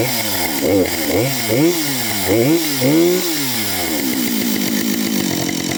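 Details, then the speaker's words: Husqvarna 565 chainsaw first start after overhaul: crisp throttle blips rising and falling cleanly, then a steady high buzz, no misfire or rattle; normal running. "No takže je to tu. 2565. Prvý štart od GOčka."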